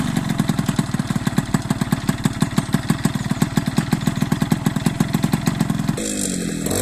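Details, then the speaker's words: Piaggio Ciao 50cc Athena two-stroke with modified intake airbox: even idle popping at about seven beats a second, then a clean rising rev with no intake boom; running healthy. "Déjà au niveau du ralenti, écoutez-moi ce ralenti, déjà. Comment qu'il est merveilleux. On va accélérer un peu."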